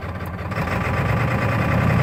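Heavy, lumpy diesel clatter with an uneven low throb through the short idle; it runs rough, but the cause is unknown.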